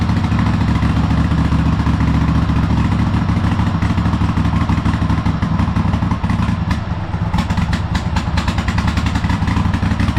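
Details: Cub Cadet Super LT1554 lawn tractor, 27 hp Kohler V-twin, 500+ hours, after head gasket replacement and new oil, fuel and air filters: loud uneven clatter with wavering beat; runs rough, owner guesses carburetor needs cleaning.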